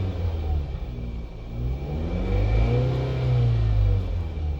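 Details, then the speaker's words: Grandfather's Jeep Compass after a new throttle body install, ECU reset and throttle calibration: engine revs up cleanly through several blips and drops back smoothly. Before the repair it was stuck at 3,000 rpm like limp mode; now it revs and idles normally. "So here we go, we're gonna turn it on, and it revs up, and then it revs down. It's holding, and when I rev it,"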